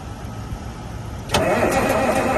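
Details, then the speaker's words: 1971 Peterbilt 352 diesel first catching after fuel line and filter work: it settles into an idle with a slight miss, throttle touchy, turbo working. "It's got a little bit of a mist. I don't know if you guys can hear me or not. It sounds like it's got a little bit of a mist, but at least I know that the engine's running, or it will run."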